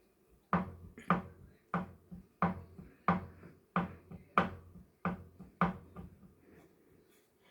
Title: Kickr bike knocking sound